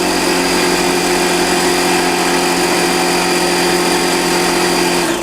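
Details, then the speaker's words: DeWalt 6-gallon pancake air compressor, new, 110 V, running: even high-pitched motor hum and steady pump drone, winding down at the end; not super loud; normal running. "Not super loud, but still makes a little noise."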